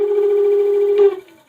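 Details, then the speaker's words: AKEZ 500 W e-scooter, wheel off the ground at full throttle with one loom wire unplugged: loud steady mid-pitched hub motor buzz, much harsher than before, then spins down; effect of unplugged wire unknown. "i unplugged one wire just to see if it would still work and it sounds like it's buzzing a hell of a lot harder than what it was before"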